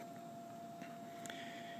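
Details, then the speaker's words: Theater orchestra-pit organ lift being lowered by its non-hydraulic drive motors: faint, steady mid-pitched whine holding level in a quiet room; motors running smoothly. "if we want to take just the organ lift down and push that button and you can hear the Gentle Wind of the motors this isn't hydraulic this is all"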